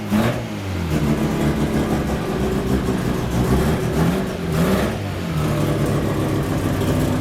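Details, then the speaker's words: Freshly built rotary Miata after first start: smooth buzzy hum swelling with throttle blips and settling to steady idle, no misfire; running good, under 150 degrees, about 78 psi oil pressure, good vacuum, volts a little low. "and it just feels tight in here not running clean or anything running good everything you know"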